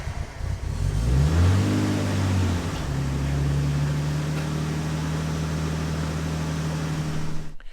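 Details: Nissan R32 Skyline first start with new parts and HICAS removal: engine catches and revs briefly, then settles into a steady, even idle with a smooth low hum and no knocks or misses.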